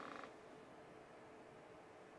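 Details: Flashforge Adventurer 5M series 3D printer after switching to a quieter fan, measured about 42 dB at arm's length (was 47 before): soft, steady fan hiss with no rattle or whine; running quietly and normally.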